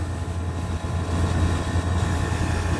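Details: Vertiv Liebert PDX Copeland digital scroll compressor modulating at about 50 percent capacity; a steady deep hum rising and falling as the external loading solenoid clicks back and forth, normal operation.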